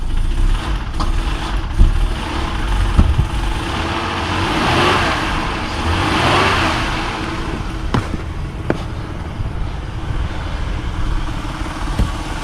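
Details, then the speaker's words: 1999 Honda Accord V6 after fixing the distributor cap, which had caused a no-spark no-start, battery a little low from earlier cranking: steady low engine hum outdoors with no misses, knocks or stumbles; runs smoothly. "Well, there we have it. She fired up, so"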